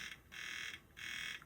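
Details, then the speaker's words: PSP 3000 Monster Hunter model returned by a customer, UMD drive test; harsh high buzz cycling about every half second as the disc spins, sounds pretty bad; owner wonders if the disc is at fault; UMD drive issue. "and that doesn't sound good. It sounds pretty bad, actually."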